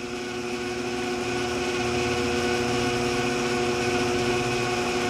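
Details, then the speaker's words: Vintage Shopsmith 10ER with slow speed reduction kit, 1725 rpm AC motor, headstock cranked down to about 208 rpm on low range with ample torque: smooth, even hum, steady tones, no knocks or surging; normal slow-speed running. "amount of torque it's really a nice slow running speed 208 rpm"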